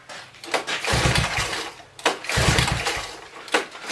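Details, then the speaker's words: 1983 Honda 185S three-wheeler, unrun about a year and a half, valves adjusted, fuel drained for storage; repeated one-second cranking bursts with pauses, engine turns over but never catches; cause unknown, carb still to be checked. "from someone else, it would go. And then finally I just can't get it to start anymore."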